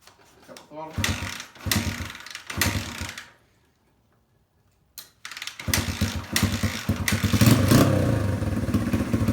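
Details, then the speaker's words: 1982 Honda XR80 single-cylinder, on choke after fuel tank sealer contaminated the engine and carburetor was refitted: catches after a pause, revs and holds a crisp, even beat without stumbling; runs much better. "look at that that thing runs way better okay so this thing's running"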